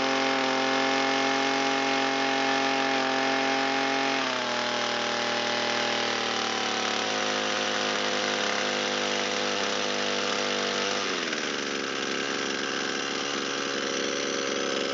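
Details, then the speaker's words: Echo SRM225 trimmer after repair, warmed up, idle turned down and mixture leaned out. Crisp, high-pitched two-stroke buzz holds steady and steps down in pitch as the idle is adjusted, running clean with no misfires. Restarts on about half a pull; normal running. "Carburetor is responding nice. Starts on about half a pull. This machine's ready to go back into service."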